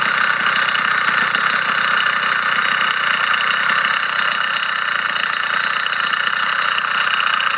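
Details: Motorized bicycle small two-stroke engine running fine and strong, with a fast, tinny rattle from inside the engine over its buzzy exhaust note; cause unknown and worrying the owner.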